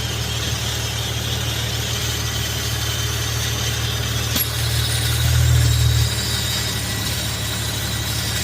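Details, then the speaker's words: Infiniti (FX37/QX70/370Z/G37) at idle while swapping PCV valves and hoses to oil catch cans: constant hiss and faint high whistle, briefly louder mid-clip; one PCV valve suspected noisy, source unconfirmed. "Yeah, I don't know why, but this one's making a lot of noise. I don't feel like this one makes as much noise, but it's making a little bit of noise."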